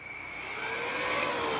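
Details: Yamaha R6 being flipped: steady airy whir with a thin even whine that holds its pitch and slowly swells; the twin radiator cooling fans are running normally.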